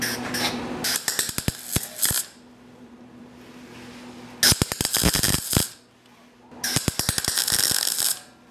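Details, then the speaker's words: MIG spot-welding on a 1965 Ford Mustang: three crisp, even crackling bursts of about a second each with quiet gaps. The arc sounds properly set, yet heavy black soot still forms around the welds, cause unknown. "see to me that's what it's supposed to sound like but we're still getting a ton of soot around the welds"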